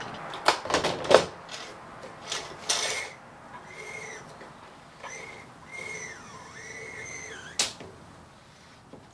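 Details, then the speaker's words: Brother 950e knitting machine after sponge bar replacement; thin high squeal rising and falling with each carriage pass amid handling clatter, from sinker plate edge rubbing along the gate pegs, not the carriage: sinker plate rubbing on gate pegs. "So the edge of the sinker plate is rubbing along the gate pegs, the edge here."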